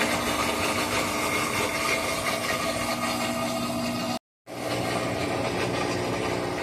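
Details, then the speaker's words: Whirlpool WTW4816FW3 top-load washer (bought July 2023, circuit board replaced three times), switched off with no lights or water: loud continuous whirring racket, uneven about four times a second, running for over an hour; cause unconfirmed. "Nothing's happening. No lights. But it's making a loud racket."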